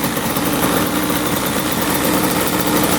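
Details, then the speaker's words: 1995 Yamaha Banshee 350 two-stroke twin after 18 years in barn, reassembled, air screws 1.5 turns out: steady even idle with crisp fast buzzing beat, no misses or hunting; starts every kick, idles low, revs out well. "oh yeah that sounds really really good all right we got this thing all back together it is running flawlessly starts up every kick idles perfectly nice and low and it revs out really really good"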